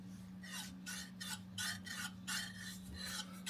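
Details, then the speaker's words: Jaguar MKII reassembly, new Moss water pump turned by hand: tight, with dry uneven scraping strokes over a low hum, rubbing inside; owner guesses it will wear away. "water pump with a PL o gosh that's tight I can hear it rubbing"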